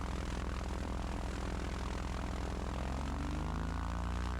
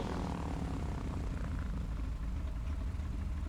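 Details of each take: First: Twin-engine plane taxiing slowly after the right engine failed on landing, just out of the shop after 7 weeks: steady, even propeller drone from only the left engine, right silent; cause unknown, failure not reproduced in earlier testing. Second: Twin-engine plane after shop work, which earlier lost its right engine on landing, pre-takeoff check with power pulled to idle: both engines hold a low steady idle, even drone, within 70 RPM of each other, no cutting out; normal idle.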